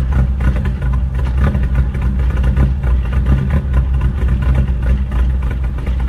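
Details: VW Mk1 Rabbit rebuilt engine after re-torquing bearing caps (cheap torque wrench blamed for not turning): deep, even note with steady low pulses, no tapping or knocking; normal running.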